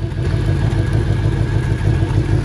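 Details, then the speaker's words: 1996 Bayliner Capri 2050 SS with 305 Chevy V8, sat 14 years: fast light ticking over the low idle rumble. "You can hear it running and all, and then we're gonna pull this valve cover and see what that ticking noise is."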